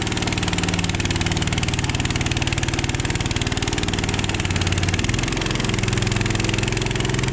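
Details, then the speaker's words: Machine engine at 9:15 pm finishing a new-construction basement concrete floor, mix with 1% calcium that set fast: steady drone sags lower and heavier about five seconds in as the blades bite; bogging under load means the concrete is nice and hard. "you hear that motor bog down, that means that's nice and hard right there."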